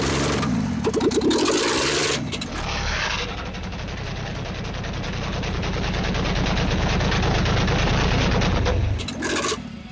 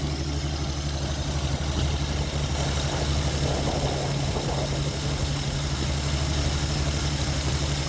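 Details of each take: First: Ford XP Falcon engine, started after 35 years sitting, run with no exhaust manifold: loud pops and bangs then a rough open-pipe beat, backfiring because ignition timing is still slightly off while being adjusted, blowing out carbon; engine hot. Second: Ford XP Falcon six running for the first time after 35 years sitting. Fuel isn't hooked up, so the carburettor bowl was primed by hand until it ran out. Fairly even idle with a steady low rumble and no knocks or misses.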